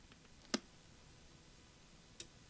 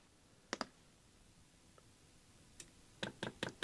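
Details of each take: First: Chinese diesel heater's outside fuel pump, plugged in indoors for testing while troubleshooting error 4: two sharp isolated clicks about 1.5 seconds apart in a quiet room; dosing pump stroking normally. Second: Chinese diesel heater fuel pump retested: crisp even ticks about 2.5 per second in a quiet room, pumping in the right direction; pump pulses but moves no fuel, failed.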